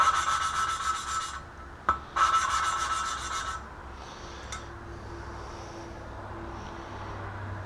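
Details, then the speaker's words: BMW M10 cylinder head (E30) valve lapping with cup tool, valve lifted and turned; fine rasping turns smooth, even and quieter as tone changes, valve seating properly. "And you'll hear you can hear the tone change."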